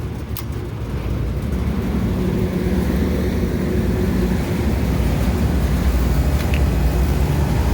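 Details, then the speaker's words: Walk-in cooler, newly installed compressor after vacuum, crankcase heater wired in: compressor starts and settles into a steady, even low hum with no knocking or rattling; normal compressor running. "and it's running so we're gonna let it operate let it run for a few minutes see if we can bring the box temp down"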